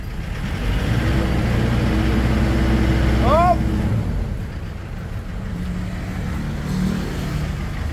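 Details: Ford Everest diesel smoking white after another shop replaced the valve cover gasket: lumpy idle skipping about four times a second, then dies; pulling injector number two changes nothing, so that cylinder seems dead; mechanic suspects valve or broken rocker arm.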